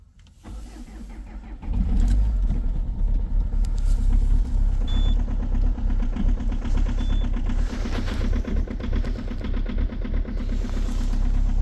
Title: COLD START diesel at -11,2°C with a very strong knocking sound, egr off 2.0 hdi #rybin